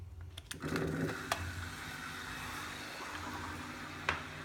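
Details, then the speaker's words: Aqua One 1050 Series II canister filter after service and priming: steady pump hum with irregular crackle and rattle from cavitation as air remains trapped. "now I can hear there's a little bit of cavitation in the pump, so there's still a little bit of air in there."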